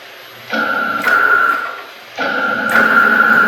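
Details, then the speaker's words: CNC router Y-axis, PureLogic PLCM-E1B controller, after fix: two even moves, each a clean steady motor tone about a second and a half, no pulsing or stutter; tremendous improvement in linearity. "listen to that even when it's not pulsing listen to the difference in the motives okay now we'll come back tremendous difference tremendous difference in the linearity"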